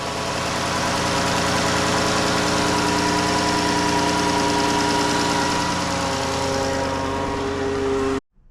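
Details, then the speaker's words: 2012 Dodge Journey 3.6 VVT after replacing the water pump, thermostat housing and belt tensioner: first start gives an odd initial bark, then an even, smooth idle with a steady hum and no knocks; running normally. "Ooh, that initial bark didn't sound quite right. But hey, it's running. It sounds right."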